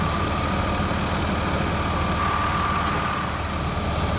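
Engine idles with the AC compressor and blower humming evenly, a faint steady tone on top, no cycling or noises; system running properly.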